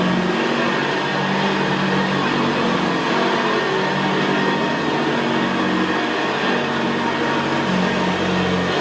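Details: 1975 Hoover Senior Ranger U4002 vintage upright vacuum cleaner in use on carpet: steady, very quiet motor hum with a rough gravelly brushroll growl; normal healthy running.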